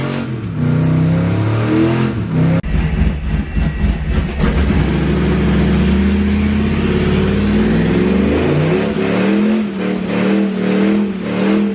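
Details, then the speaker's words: Duramax diesel truck with the automatic transmission taken from the owner's poor brown truck: a loud drone, and revs climb and flare under load without the truck pulling harder; the transmission is slipping and needs replacing. "This is really loud. But here, this is why the transmission's not good."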